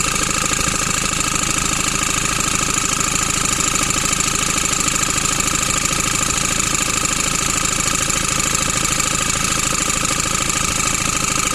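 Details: 2008 Ford Transit Mk7 2.4 Puma diesel at idle: even, rapid knocking about three per second over diesel clatter. A/C compressor suspected, but the cause was a bad crankshaft pulley, probably ruined by a bad alternator pulley.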